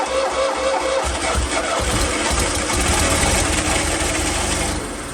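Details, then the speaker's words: Fiat 126 off the road 10 years, on a borrowed battery with petrol poured down the carb: cranks, catches and runs unevenly a few seconds then dies; not pulling fuel from the tank, fuel starvation, lines and filter to be replaced. "okay so there was a success the engine ran albeit not for long we did run out of fuel in the end"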